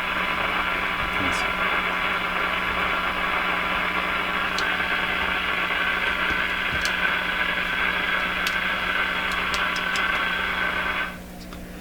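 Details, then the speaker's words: Clinton 629 tube radio on AM, tested before any capacitors were replaced. Harsh, hissy, crackly sound with a steady hum even on a fairly strong signal. The IF seems okay and the only trimmer has been adjusted; the cause of the weak, distorted reception is still unfound. "we are now listening to a signal through the a.m. and it just sounds like crap and it's a fairly strong signal and there's nothing else to adjust"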